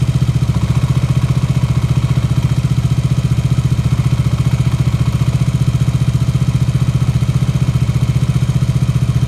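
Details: KTM Duke 125 at idle: an even, repeating clatter about 220 times a minute over the thump, from the left/clutch side of the engine; the noise is present with the clutch engaged and disappears when the clutch lever is pulled. Cause not confirmed.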